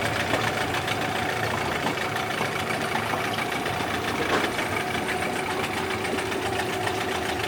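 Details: Yamaha 8C two-stroke outboard bought from Japan, after a rebuild with sandblasted starter housing, flywheel and head and a new lower bearing: steady even idle with a constant buzzy rattle, no misses or knocks; healthy.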